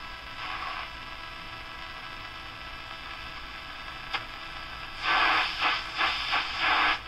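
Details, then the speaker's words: Radio local oscillator test: a second radio set to about 90 on the AM dial picks up steady static that swells into rushing bursts of interference as the dial sweeps, proving the oscillator is working. "you can hear what this sounds like definite interference so that proves that this oscillator is working"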